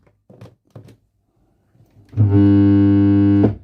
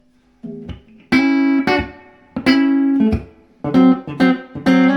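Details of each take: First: Fender Princeton Chorus 2x10 solid-state guitar amp powered via current limiter with speakers connected: loud steady mains buzz for a second then abrupt cutout; main smoothing capacitors dry-jointed with broken snap-in tabs, plus no signal from input. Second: Fender Princeton Chorus 2x10 solid-state guitar amp after repair of dry-jointed, loose main capacitors and no-signal fault, reverb on: clean, clear guitar notes ring and decay evenly, no hum, crackle or dropouts; normal amplifier output.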